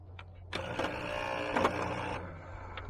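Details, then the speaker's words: Regular paper shredder killed by shredding thick cardboard: motor whirs and grinds roughly under two seconds, then stalls dead; won't shred paper anymore. "sounds dead it's grinding well it won't even shred paper anymore"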